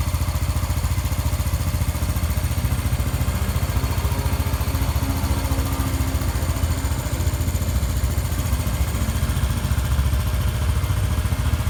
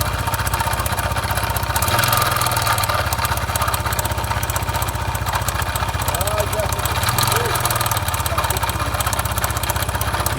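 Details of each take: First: Honda Biz 125 single after rebuild for connecting rod play that caused a strange noise: steady, even low putter at idle, about 3.5 beats a second, quiet with no knocking; running normally after repair. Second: Honda Biz 125 (stated as 2013 and 2015), idling with an oil leak seen on top: dull rhythmic knock about four times a second under the exhaust beat; excessive connecting rod play found, rod must be replaced.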